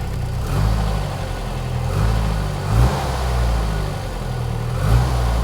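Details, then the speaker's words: 1993 Ford 2.3L Lima four-cylinder on first start in a freezing garage, at 122 degrees and idling at 950 rpm: low, mostly even idle that sags and lurches briefly a couple of times; idle stumble, cause not yet known. "There, it stumbled a little."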